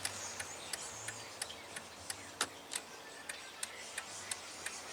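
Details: 2000 Jeep Grand Cherokee after turn signal switch replacement, key on, left signal working again after using the hazard flasher: light even ticks about three per second; normal turn signal flasher operation, though the fault may still be intermittent.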